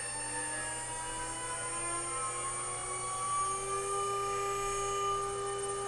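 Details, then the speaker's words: DIY CNC router spindle spinning up with controller unplugged, picked up by a tone-tracing wand: thin electronic whine climbing in pitch with spindle speed, electromagnetic interference radiating through the frame, suspected of making X and Z steppers move jerkily. "but when i turn on the spindle just the electromagnetic interference as the spindle is speeding up here the frequency very slowly wow there we go"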